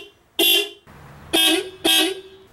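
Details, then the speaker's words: 1991 Volkswagen Vanagon horn before adding a horn relay: three short, clean blasts with bright, steady tone; not bad but not correct, believed underpowered through factory circuit. "first let me show you what this horn sounds like now so certainly not bad but definitely not correct"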